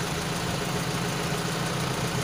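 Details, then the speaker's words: Honda Civic Wonder with Toyota Kijang carburetor replacing one that couldn't idle and was thirsty, idle raised slightly: even, steady smooth low beat, no misfire or knock; engine idling healthily. "Wah ini tuh enak dihargai suaranya coba status stasionernya kita naikan dikit lagi"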